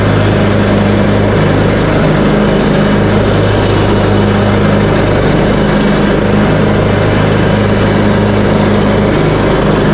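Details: Craftsman T130 riding mower, bought cheap with starting issues, after repair (replaced fuse, new ignition switch panel), started on choke, cutting end-of-season grass with blades engaged, deck set high: steady, even engine drone holding speed, no misses or surging; running healthy.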